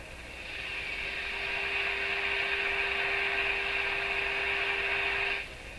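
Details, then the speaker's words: Rogers 11RA651 shortwave radio during SW band alignment, tuned near 15.2 MHz on a moderately weak signal: loud steady hiss with a faint steady tone underneath, rising as the signal is tuned in; excessive receiver hiss, cause unknown. "Okay, we have a moderately weak signal. So, I'll hook up my other meter here. Okay, meter's working. A lot of hiss, eh? More than should be there, I think."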